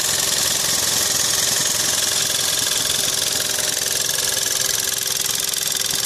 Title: VW 1.4 TSI 122PS (CAXA) engine noise